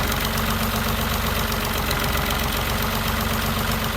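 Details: Engine with a fast, uneven ticking knock of about four a second over a rough idle, standing out from the engine hum. Source not pinned down; engine knocking noise, cause suspected but not confirmed.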